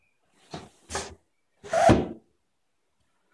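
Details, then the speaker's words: Refurbished sash window with new pulleys lifted and lowered with one finger: short sliding rubs with a light squeak from the weather seal, which is normal. "once you break the seal you should just be able to lift it up and down with one finger you'll notice that sound that's the seal"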